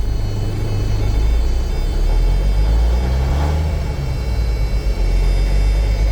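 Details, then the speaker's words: Old farm semi with big cam Cummins diesel, started after sitting months with battery boost: deep, steady, even idle rumble with no knocks or misses; alternator whining noted. "Ooh, yep, she's a Cummins. Definitely a big cam Cummins. Fired right up, it ain't been running months."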